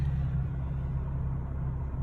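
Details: Camaro at 176,000 miles with a cylinder 6 misfire code: deep engine rumble with a faintly uneven pulse; persists after replacing all injectors, coils and spark plugs, cause unknown, going to a dealer.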